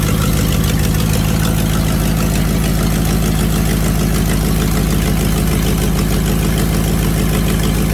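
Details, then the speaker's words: Foxbody Mustang V8 with an eBay twin-turbo kit, just fitted with new injectors; it misfired badly at first, possibly dirty, and now seems to run on all 8. Deep, steady V8 idle burble with an even beat and no stumbles. "i've wrapped it up a few times and it seems to be running on all 8 right now i mean what do you think"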